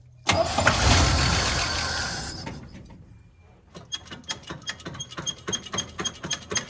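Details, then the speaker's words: 1972 Chevy C10, after vacuum was used to pull fuel to the line: a loud rush, then steady cranking chuffs about four per second that never catch. Fuel is not getting through; a plugged carburetor is suspected. "Doesn't seem to want to run on fuel, does it? Let's see. I can't tell if it's squirting. It's probably not. Try that. Try again. It's not getting through. Maybe, possibly, could blow into the carburetor. If it's plugged, it may come loose."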